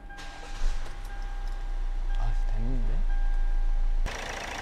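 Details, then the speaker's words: 2013 Hyundai Avante MD CRDi diesel, about 170,000 km, idling: constant high squeal over idle; cracked, worn drive belt slipping on tired auto tensioner; belt and auto tensioner replaced. "우선 처음에 냉간시에 특히 시동 걸었을 때 벨트 소리가 좀 심하게 날 때가 많이 있어요"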